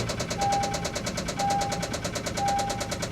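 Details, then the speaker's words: Car at a Copart auction with 169,000 miles, started on a jump: a fast, even ticking knock of roughly eight per second over the idle, with a repeating warning chime. Oil is present and not milky; the engine is considered dead. Engine knock. "um please stop knocking it's not going to stop knocking nope not going to stop knocking"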